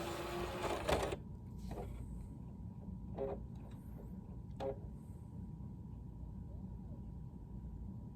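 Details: Used PS3, unopened, test with WWE SmackDown vs Raw disc inserted: harsh grinding burst, then scattered clicks over faint hum, no disc error shown; failing disc drive not reading.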